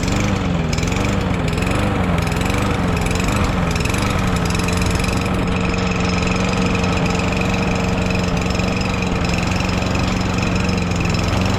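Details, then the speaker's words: Lawn mower with swapped engine and new carburetor running: steady, even but slightly low, lazy drone; governed engine speed set a bit low, raised by bending the governor tab toward the front. "engine speed is a little low I'm going to try to adjust that now"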